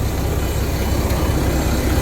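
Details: Freightliner Cascadia diesel idling after a vehicle speed sensor repair, jump-started because of dead batteries. A low, steady rumble with an even beat and no knocks or misses; the truck idles smoothly and healthy.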